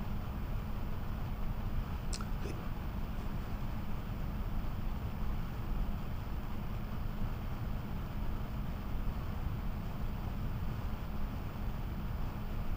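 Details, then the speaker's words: GVM PR 150R 150 W LED monolight with replacement DC cooling fan, recorded by Sennheiser mic; steady even whoosh with faint constant hum, about as loud as the original fan; loud cooling fan noise. "So my comment would be that it sounds approximately the same as the fan system that came with the light itself."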